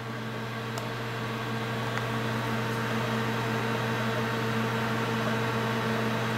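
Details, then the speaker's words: Corsair H70 cooler, 120 mm radiator with dual Corsair fans in push-pull at maximum RPM: steady droning hum with a clear, horrible tonal fan whine. "All I can hear is the whine of the fans. It really does sound horrible, and it's not the sort of noise I'd want to hear coming out of my system."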